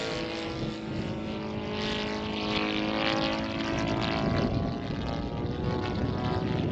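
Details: In-line twin engine in a Laser 200/ESM Hurricane model plane on its maiden flight, climbing under power: uneven, stumbling drone with irregular backfire pops; tuning is all out. Backfiring from a mistuned carburettor.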